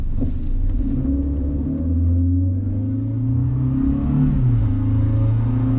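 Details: 2000 Honda Civic with eBay header and test pipe (cat removed), OE resonator and muffler, before adding extra resonator: exhaust drone rises with revs and roughens under hard acceleration; raspy exhaust, mainly above 2,800 rpm.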